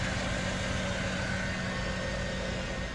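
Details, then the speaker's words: LT1 V8 after replacing a bad arcing spark plug wire that caused misfire and stalling: idles with even, steady low rumble and faint constant hum, no stumbles or misses, wire no longer arcing. "and here you can see that spark plug wire is not arcing and the car is idling smoothly"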